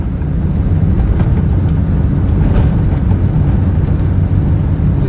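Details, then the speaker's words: Geo Metro cabin on a very bumpy road after replacing sway bar bushings and inner and outer tie rods (new CV axles earlier): steady low road rumble, front suspension clunks over bumps largely gone, only occasional slight noise. "now there's still a little noise every once in a while but it's a lot better it's a lot smoother"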